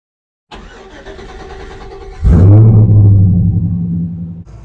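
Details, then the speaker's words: GMC Squarebody with LS V8 after Holley Terminator X swap; one bank's misfire traced to a loose, dangling ground wire at the back of the cylinder head, now tightened. Cranks, fires with a quick rev, then a deep even idle on all eight cylinders. "yeah they're firing now oh yeah I got all eight again yay time for a test run yeah yeah everything's looking good"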